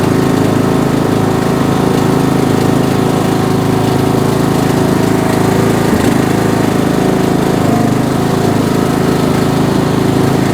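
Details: Bolens M762F lawn tractor, 10 horsepower single-cylinder, after rebuild, test drive: steady, even chug with constant pitch, no knocks or misses; healthy engine pulling under load.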